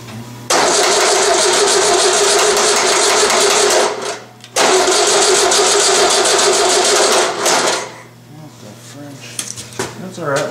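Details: VW 1600 dual port engine on a starting stand, cold, fuel bowl not yet filled: two long bursts of even starter cranking about three seconds each, engine never catches; cranks but won't fire.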